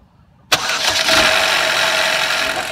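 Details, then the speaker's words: GM Ecotec gen-2 L61 2.2 cold start after sitting about 15 hours, harsh metallic rattle and clunk for the first few seconds from the timing chain; rusty old-style tensioner, chain stretch or broken guides suspected. "well if you heard that right after I started it for about the first few seconds that's all that rattling and clunking in that particular gone well that's what you don't want to hear at that point you're going to want to check your timing chain"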